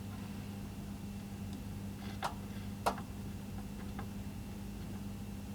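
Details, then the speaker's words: Kenwood KRF-V6300D surround amplifier being checked over as modes and speakers A/B are switched: a few crisp relay clicks over a steady low mains hum, each landing cleanly; relays switching normally. "Can hear the relays clicking, so that's a good sign most of it's working."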